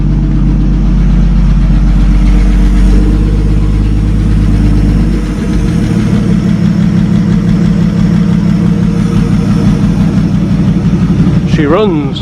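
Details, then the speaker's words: 1937 Talbot saloon 3.2-litre six-cylinder, first run since 1976: steady low idle with an even beat, one brief dip around five seconds, then settles smoothly; slightly smoky, oil pressure about 40 at idle, 50 with revs. "all right that's not bad because it's that's his first run since 1976."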